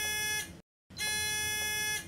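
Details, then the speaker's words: Arjo Total Lift Bed with the bed-exit alarm set: the alarm is triggered, giving two loud, shrill electronic buzzes, a short one then a longer one. "if a patient exits the bed when the alarm is set the alarm will sound"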